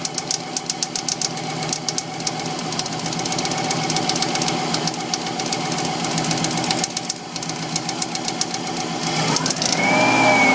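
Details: Subaru WRX engine idling with a sharp, regular knock about four beats a second; owner says the engine is knackered.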